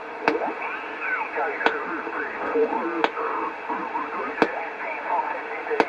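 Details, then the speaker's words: Homebrew 20-meter SSB transceiver on a bench power supply with a wire antenna: garbled sideband voices come through clearly over light hiss with occasional ticks. The receiver side works normally on 20 m. "i brought it in and i plugged it into the bench power supply stuck it stuck a wire in the back and plenty of 20 meter ssb signals came powering in"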